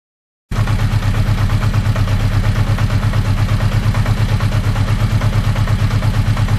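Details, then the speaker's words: 1980 Honda CB650 four-cylinder, warm after 10–15 minutes of idling on a cold day, carbs synced: steady idle with a light regular clicking over the exhaust beat; the source is unknown, and the owner is checking the clutch and generator. "the bike when it's running at higher rpm it runs great but this clicking noise is still there and I don't know what it comes from"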